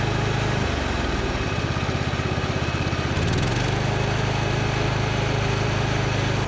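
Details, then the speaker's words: Husqvarna Z246 zero-turn mower, single-cylinder engine, after governor and throttle linkage adjustment: steady run with a lumpy beat that shifts pitch, seemingly short of full governed throttle although the linkage appears to work. "But it still doesn't feel like it's getting all the way to full throttle, but it looks like the linkage is working right."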